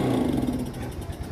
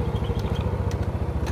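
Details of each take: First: Yamaha Mio scooter with faulty carburetor, hard to start: small engine note fades out within a second as throttle opens instead of picking up; stalls on throttle opening. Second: Yamaha Mio scooter after carburetor service and air-screw/idle adjustment; steady, even single-cylinder putter at low idle with no misses or hunting, idle settled and smooth.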